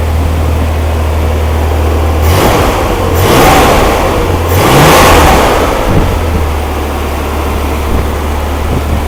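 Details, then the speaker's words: Freshly built Rampy 80 hp engine from mostly used parts, at its first start with good oil pressure: runs steady, blips up and settles back smoothly with no knocks or misses; the owner thinks one side flooded. Normal running. "damn good, if you ask me. Listen to that thing. Little 80 horsepower monster right there."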